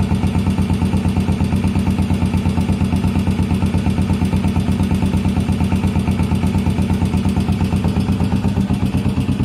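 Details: 1981 Yamaha SR500 single-cylinder startup after oil and filter change, sump check ball/spring/gasket replacement and valve adjustment; 115 psi max compression, still smoking: lumpy slightly uneven idle about three beats a second; rough idle, cause unclear.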